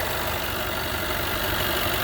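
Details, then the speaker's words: 2013 Jaguar XJ 5.0 supercharged V8 idling with belt on: busy, loose rattle over steady engine note; with supercharger belt removed noise is normal, ruling out timing chain and tensioner — cause is a failed supercharger coupler. "I just started the car and thank God it is not the timing belt uh or timing chain or the pensioner it's just a supercharger coupler"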